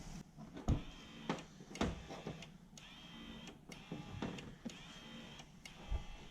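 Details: Toyota Surf/Hilux transfer case electric 4x4 engagement actuator motor, after strip and service. Short whirring runs with light clicks between, spinning freely without strain; normal actuator operation.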